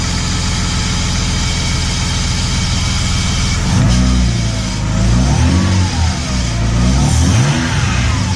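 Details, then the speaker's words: BMW E30 with M52B28 engine, checking a knock with the power steering pump taken out of the belt path: smooth quiet idle, no knocking, suggesting power steering pump; music partway through. "да так работает тихо шепчет хорошо"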